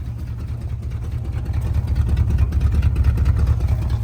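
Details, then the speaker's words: 1974 Chevy C20 V8, revived after five years in a scrap yard, idling after a missing nut was replaced: low, steady, even rumble with no ticking or puffing, quieter now; a noise owner can't place as water pump or power steering; staying cool. "Heck yeah. Not a daggum noise coming from that motor."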